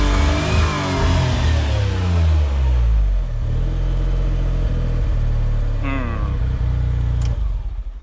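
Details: Autozam AZ-1 Suzuki Cara, warmed up, with a spare fuel rail and the original pressure regulator; revs climb then flatten and cut near 6000 rpm, less bouncy than before; cause unclear.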